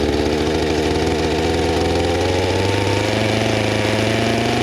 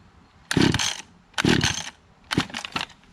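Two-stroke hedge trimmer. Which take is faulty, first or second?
second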